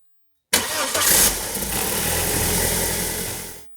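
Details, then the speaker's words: 2001 BMW E46 316ti with the N42 engine, 200,000 km, cold start after cleaning the oil check valve in the filter housing, with the housing empty: it catches at once and idles evenly with no startup rattle, though the rattle returned a week later. "And as you could hear, there was no rattle."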